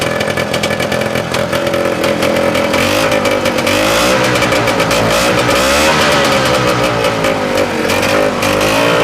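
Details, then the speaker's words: 1971 Moto Ski Capri two-stroke snowmobile with a new fabricated exhaust and muffler from tractor parts: loud, raspy revving and settling back, crisp response with no misfire or knock; quieter than a straight pipe; normal running. "Now, don't expect it to be quiet because it's not. but I've done a machine with a glass pack before and it was much louder. This is still quieter than a straight pipe."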